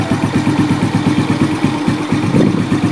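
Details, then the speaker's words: Suzuki Smash that smokes and runs rough when hot: idle is smooth when cold, but once warm it stumbles and falters unevenly at about two beats a second and tends to stall. The suspected cause could be the carb, ignition or compression. "Kalau dari suara juga memang ini beg gitu ya, jadi keganggu. Terus ya ini banyak faktor ya, bisa dari karbunya, bisa dari pengapiannya, bisa dari kompresinya."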